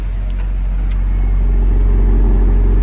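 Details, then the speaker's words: 1998 Honda Civic Type-R, 133,000 km, no timing belt change sticker: a clean, even rise in revs with a steady deep note and no ticks, rattles, belt noise or smoke. It sounds stock with no idling issues, a normal rev. "running engine sounds like a stock engine there's no weird belt sounds No idling issues"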